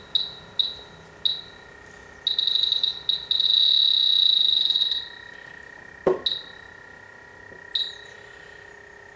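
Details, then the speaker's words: Grain-drying dry air generator (large dehumidifier) that lost its refrigerant over 24+ months: leak detector gives shrill beeps, about four a second, merging into a steady squeal near the compressor sump plug. Leaks were found at the sump plug, solenoid, ball valve and evaporator coil. "And when I stuck that in there, it's saying there's something in there. But then why is it picking it up off of here? Seems a bit random."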